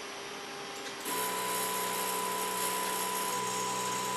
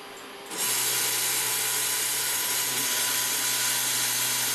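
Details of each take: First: Converted Epson LQ2070 dot matrix printer (vinyl cutter project), X-axis stepper at 500 Hz stepping 1000 steps left then right: steady electric buzz with even pitch, no grinding or clicking; stepper driving carriage normally. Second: Stepper motor on a converted Epson LQ2070 dot matrix printer (vinyl cutter), x-axis at 1000 steps per second: steady hard buzz with rasping, strained, uneven tone; motor straining at high step rate.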